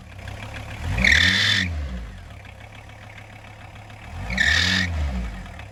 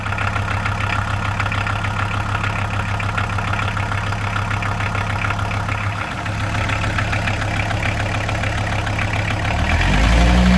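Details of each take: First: 1994 VW T4 van, early AAB 2.4 litre five-cylinder diesel, idling and blipped: two sharp high screeches, worse from cold, from a slipping alternator belt, too long 13x1125, replaced with 13x1100 and retensioned. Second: VW T4 van, early AAB 2.4 diesel, after replacing the squealing 13x1125 alternator belt with a 13x1100 and re-tensioning it: steady, even diesel idle clatter, no belt squeal or wobble, and the alternator is charging.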